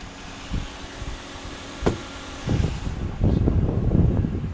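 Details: 2009 Volvo S40 T5 AWD R-Design, flood-damaged Copart car after body harness cleaned and reinstalled: a few handling knocks, then engine catches and holds a steady, even low idle rumble with no misses; healthy.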